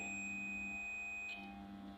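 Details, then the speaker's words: 5-pin DC relay tested with a digital multimeter on continuity, probes on the common and normally closed terminals: a clean, steady high beep holds for over a second until the probes lift; the contacts are good. "यहाँ पे देख लें हमें beep सुनाई दे रही है तो इसका मतलब है ये ठीक है।"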